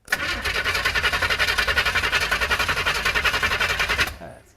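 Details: 408 small-block Chevy on its first start attempt cranks evenly, about nine strokes a second for four seconds, but never catches. There is no spark because the MSD distributor ordered doesn't suit the 6AL box; a bad fuel line was also found and the distributor gear height sits far off.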